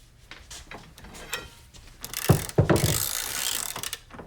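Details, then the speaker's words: Harbor Freight Pittsburgh Pro composite 3/8-inch drive ratchet taken to failure beyond 202 ft-lb: quiet clicking, then sudden sharp clunks and rasping as the ratchet slips under load; pawl suspected broken. "So it looks like we had a little premature slip in there. So we got some slippage going on there."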